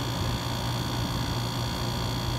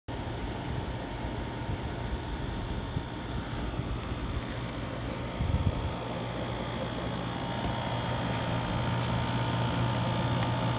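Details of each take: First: Dometic rooftop RV air conditioner after fixing a loud noise from compressor plumbing, dampened by foam wedged behind the line: now a steady low hum and faint airflow hiss. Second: Dometic RV rooftop air conditioner running with a loud coarse low buzz from compressor plumbing vibrating against the unit; fixed by wedging foam behind the hot lines.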